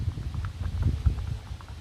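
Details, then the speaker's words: Lexus RX300 front stabilizer sway bar link, removed old link rocked by hand: dull uneven low clunks each rock from the worn loose ball joint; replaced with new link. "Look at the old one. It just wobbles all over the place. Also, you see, it clunks. So most of the time if you hear something clunking in your suspension, this could be it."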